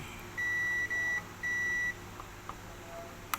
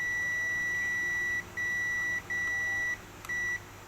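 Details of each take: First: Multimeter continuity test measuring directly across the FET legs on the backlight inverter of a dim Panasonic 60-inch TV: three short, steady high beeps, then quiet. The FET is not shorted. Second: Panasonic 60-inch TV backlight inverter board, multimeter buzzer continuity test on a FET: four sharp, steady high-pitched beeps on every leg, not necessarily a shorted FET or pad, possibly leftover capacitor charge.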